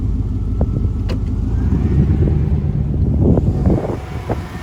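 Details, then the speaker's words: C2500 truck after new spark plugs and wires (old ones bad, wires fit poorly), oil burning off manifold: pulls in gear with even steady drone, no stumbling or skipping; misfire fixed. "but I tell you what she all runs a whole lot better listen to this no more skipping put it in gear runs like you should"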